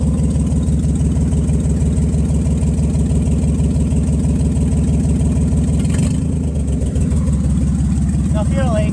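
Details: Nissan Z31 on first start after rebuilding all injectors and fuel rail components, fuel temperature sensor not yet connected, exhaust leaks present: rough, stumbling idle; misfire persists, cause not found.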